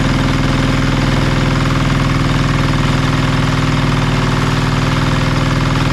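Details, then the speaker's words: Marketplace diesel generator of unknown condition, tested after reassembly: even, steady low chug with constant beat, no misses or surging; engine runs smoothly but generator still makes no power. "oh she's running really well been not making power still so we'll have to do a bit more digging"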